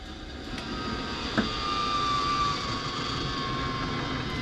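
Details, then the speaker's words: MAXXair vent fan after motor cleaning and reassembly: low even whir with faint steady tone, no chirp or squeal; squeak fixed, motor runs smoothly. "no squeaks you love to hear it"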